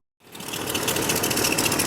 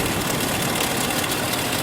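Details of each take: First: 1998 Chevrolet Cheyenne K2500 (GMT400) V8 with flickering battery light: fast rough whirring chatter over idle right after start, under the hood from the alternator; worn alternator bearing, fixed by alternator replacement. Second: 1998 Chevrolet Cheyenne K2500, engine running, stethoscope on power steering pump: steady, even whir without the pronounced noise; pump normal, noise with flickering battery light traced to failing alternator.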